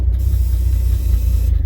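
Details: Diesel cold start in the snow, revved to about two thousand rpm: a steady, deep, even rumble with no misses or knocks. Normal fast idle.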